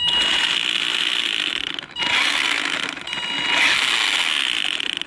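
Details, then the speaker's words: Maverick Phantom XT 1/10 RC monster truck after hitting a big stone: high gritty whine with rapid rasping chatter rising and falling with throttle; suspected stone in gearbox or spur, motor may have moved. "don't think we got a stone stuck in that motor there definitely sounds like it's coming out from the gearbox bit there might be the spur"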